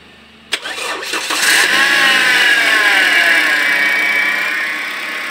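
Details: Toyota Altis gasoline engine with a hard starting problem; brief crank, then it catches at once and rises to a steady, even idle, a clean prompt start.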